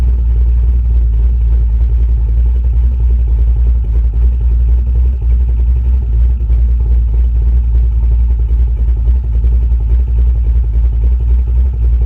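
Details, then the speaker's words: V8 with newly installed Summit Racing Max EFI-500 throttle body fuel injection: deep, steady rumble with even beat and no misses or stumbles; running smoothly. "enough of me rambling on but it works good it runs really well"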